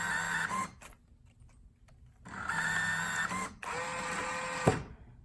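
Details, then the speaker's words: Coinco bill validator (BA/Mag/MagPro/BillPro series) powered normally with LED on: short motor whirs start and stop repeatedly without drawing the bill in; bill entry likely obstructed, e.g. plastic gouged by a screwdriver; bill validator jammed. "generally speaking is that there's something blocking the bullfrog entering. A lot of times it'll be because somebody stuck in like a screw driver or something trying to get their bill back and they gouged up some plastic or something like that and now the bill is hitting that and it will not draw itself in."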